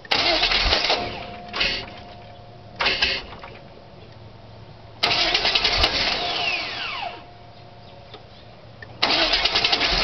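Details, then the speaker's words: 1998 Chevy Silverado 350 Vortec, 145,000 miles, after replacing flywheel and starter with ground teeth: repeated short cranking bursts with long gaps, engine barely catches and dies between tries; hard starting, cause unknown. "yes that's what it's doing um like i said replace the flower places start it still sounds like sometimes it runs like sometimes it doesn't"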